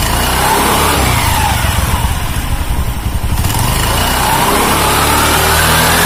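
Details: Carbureted Honda Beat scooter after replacing the snapped CVT drive belt (V-belt kit) and cleaning parts; engine runs smooth. Even, steady putter with a brief dip then back up, no rattle or slapping; normal idle.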